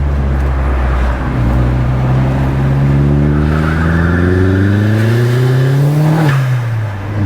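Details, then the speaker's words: Car after replacing a failed turbo with a new KRS unit, which previously gave no boost, second-gear pull on the road: strong pull with engine note and a clean turbo whistle climbing together, no rattle or grind; normal boost. "I know she's pulling sweetly again."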